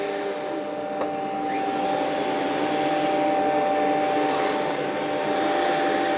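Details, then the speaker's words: Rainbow PN12 power nozzle (1.2 amps), refurbished with a new belt, on high speed: steady, even motor drone with clean stable tones and a smooth brush roll hum, no ticking or rubbing; normal running. "All right. Don't know if you can hear that, but I hear air flow. I do."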